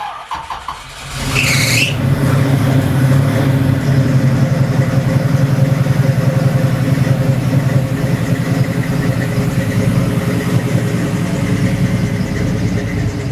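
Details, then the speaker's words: Hugger Orange Z/28 one-owner survivor V8, carburetor not adjusted, just started after slow cranking on a weak battery with charger: short crank then lumpy, even burble, no knocks or squeals; normal idle. "Hell yeah. Sounds good, doesn't it? It does. I haven't had little adjusted I haven't adjusted the carburetor or anything."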